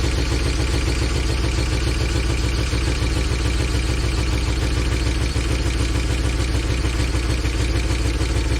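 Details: 2013 Chevy Tahoe ex-police V8 (LS, DOD), started on a fresh battery: low, lumpy idle with a regular thump about three per second; a bad miss. Oil pressure is good, and a stuck lifter is suspected. The scanner later shows a random multiple-cylinder misfire.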